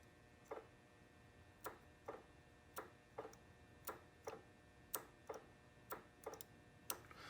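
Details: 2007-2011 Honda CR-V with no cold air, A/C relay circuit jumpered to the battery during diagnosis; sharp uneven single clicks about once a second in a quiet bay, the clutch coil snapping but the clutch not engaging.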